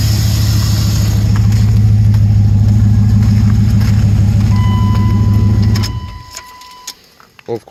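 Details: 1999 Dodge Ram 1500 5.9 Magnum V8 that knocked when cold, after water pump and thermostat replacement and oil treatment: steady low idle rumble with even firing and no knock, then shutdown; sounds normal now, owner suspects lifters.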